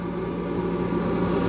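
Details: Shop-built cyclone dust collector, after a rebuild following an impeller failure, running at the band saw port: a steady, even low hum that swells slightly as the blast gate opens and suction builds; running smoothly.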